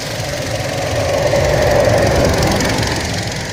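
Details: Kia Sportage 3 engine with a strange knock of unknown cause; steady idle with rapid light knock roughly four per second riding over the engine hum.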